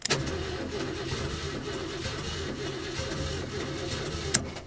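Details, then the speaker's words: 1968 Ford LTD not started in over 35 years, first crank before any fuel work: steady starter churn with a slightly lopsided, galloping beat and no firing, suggesting uneven compression; cause unknown. "Spins over. Sounds like a little bit of a gallop there. Not bad. I'm sure it does after sitting all these years."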